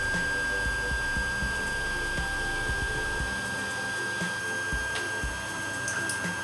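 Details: Creality Ender 5 on its stock mainboard, printing during a decibel-level test, compared against the silent 1.1.5 board: steady high-pitched singing tones with uneven buzzing as the axes move, under music, stepper motor noise from the stock driver board.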